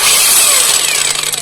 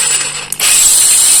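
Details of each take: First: Kamolee cordless brushless battery angle grinder running: very harsh, gritty rasping whir over the motor whine that stays rough even after greasing the gears; loose bevel gear mesh. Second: Kamolee cordless brushless battery angle grinder after tightening the bevel gear mesh and greasing: even high whir with a faint gear hum, no rough grinding or rattle; normal gear noise.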